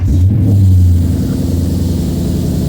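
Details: Lexus IS F V8 cold start right after fitting an RR Racing air filter: deep, steady rumble easing down slightly, smooth with no knocks or misses. Louder than before with the new filter; healthy cold idle.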